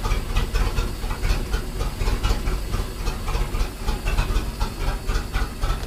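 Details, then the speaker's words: Mercruiser 4.3 boat engine (Manta Ray) at steady idle after fuel line and filter replacement and repair of a broken oil pressure safety switch tee; deep, even throbbing with no misses or knocks, running smoothly. "Sounds like it's running good. Alright, well, with that sounding so good, I'm gonna call this video a win."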